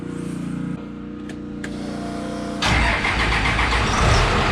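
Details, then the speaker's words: Triple-turbo 12-valve Cummins race truck, first start after installing a 13mm P7100 injection pump and fixing the walking cam gear, run with Hazley additive; starter cranks a couple of seconds, then a steady, even diesel clatter; nothing sounds bad, normal start-up. "All right, so there it is. She fired up. I gotta add a little water to it. She sounds good. Nothing sounds bad, so I'm pretty happy."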